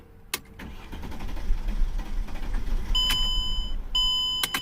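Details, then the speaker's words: 2003 Mercedes E-class 3.2L, crank no start, owners suspect the fuel pump (20 A fuse fitted where 15 A specified): low uneven cranking for several seconds with door chimes, no firing. Fuel pump not delivering. "And they said that it doesn't start. It's a crank no start."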